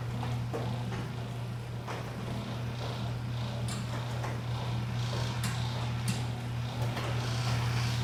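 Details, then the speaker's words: Squeaky garage door after lubricating rollers, tracks and metal-on-metal points with white lithium grease: steady low opener motor hum with only a few soft clicks and no squeal or scrape; runs quietly. "All right, well that pretty much took care of it. $6.99 at Harbor Freight. Liquid wrench, white lithium grease. That's all it took, just lubricating the points where metal on metal friction."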